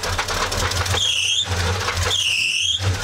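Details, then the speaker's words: Square-body truck with 350 V8, unstarted for a year, freshly cranked: rough low idle with a rapping knock; suspected torque converter or flex plate, not confirmed. "Hear that knock. It's like torque converter or flex plate or something."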